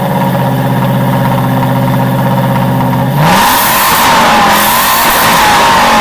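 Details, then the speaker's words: Aston Martin on a cold start, oil pressure not yet built up, revved gently: even idle swings up smoothly into a clean rev and holds; no misfire or knock, runs perfectly smooth and sounds good. "At least she runs and she runs perfectly smooth. Don't want to re too much cuz this is cold start. The oil pressure hasn't built up. No misfire, no nothing. It sounds good."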